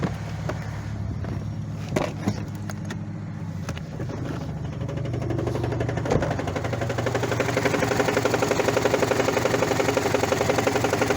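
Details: Toyota 1ZZ-FE engine, knock appearing after sharp brief throttle presses: after blips it settles into a steady knock about four a second following engine speed; cause a flywheel that broke apart.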